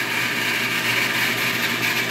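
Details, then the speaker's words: Repaired 1.5 hp water pump with pressure tank filling, set to cut out at 32 psi and restart around 20 psi: steady, even motor hum with a constant high tone and no knocks or surging; running normally. "The pressure gauge is going down slowly because the tank reservoir is filling . This pump has a pressure set of 32 pci."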